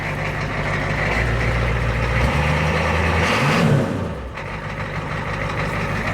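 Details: Diesel truck at steady, even idle with a low drone and no misses or knocks, after partial hydrolock from too much ATF poured down the intake; running smoothly, normal idle.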